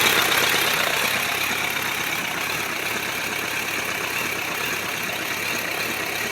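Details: 1997 Suzuki GSF1200S idling: light, fairly regular knock about four times a second over engine noise; engine knock, cause unclear.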